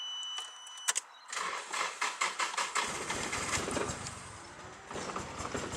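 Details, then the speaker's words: Nissan 180SX (Silvia S-chassis) ex-drift car, long-stored: starter churns about seven quick compression beats before catching and running ragged like a lawnmower; owner suspects the fuel (reportedly 2-stroke mix) or a coil pack, sounded like running on three cylinders. "It sounds like a fucking lawnmower. She's alive! I'm pretty sure the old guy said he put 2-stroke in it."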